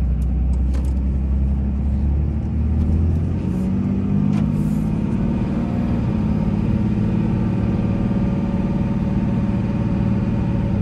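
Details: 2003 Dodge Ram 2500 Sport 4x4, 5.9 Cummins diesel, 85k miles, automatic, pulling uphill through the gears: steady, deep diesel drone with no knocks or odd noises; normal running under acceleration, engine healthy.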